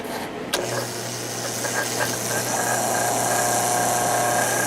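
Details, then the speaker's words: 1950s Patton 18-inch fan, 3.2 A GE single-bearing shaded-pole motor, after oiling and tightening the end cap to stop shaft end play, run without the blade: smooth steady low hum with faint whistle, slight scrape from the collar; running quiet. "seems to be pretty quiet a little bit of a scrap noise from that collar but that's nothing you're going to hear when it's running with the blade on it"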